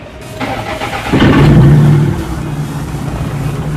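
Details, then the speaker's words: Toyota Corona Exsior that would not crank, after fitting a relay to the starter wiring: starter cranks briefly, engine catches, revs and settles into steady even idle; clean healthy start. "Oke Bisa ya modal r-an Rib mesin sudah nyala Oke teman-teman ternyata caranya berhasil ya dan relainnya bisa bekerja dengan baik ya"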